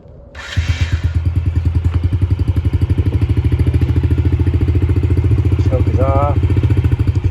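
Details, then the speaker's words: Yamaha TT-R50E kid's bike that barely started and wouldn't idle, now after carburetor cleaning; small single settles into a steady, even low thump at idle with no misses, normal idle. "battery's fully charged sounds like it runs pretty good"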